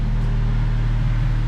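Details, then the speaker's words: Car at idle: deep, steady low rumble, louder and boomier than stock; exhaust leak that began as a tiny hole and worsened, now a large slit in the exhaust pipe making the noise. "there's one right here and then there's that big ass slit right there that's what's making all the noise right now"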